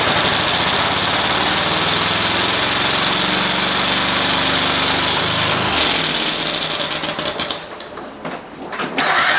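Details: Cub Cadet small twin, after carburetor screw refitted: runs fast and even, then stumbles and sags as if fuel-starved or missing like a bad coil. Owner suspected fuel solenoid, now suspects electrical; one plug very wet with fuel.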